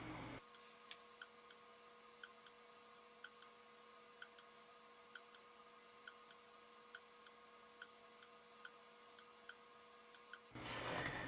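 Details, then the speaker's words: Filastruder 2.1e filament extruder heater, temperature swinging between 170 and 190 under the PID controller: sharp isolated relay clicks at about three a second over a steady mains hum. The heater is switching normally as it falls below 170 and reheats. "So you can see it gets down to about 170, sort of blinking on and off. But once it gets below 170 is when it really starts trying to go back up again."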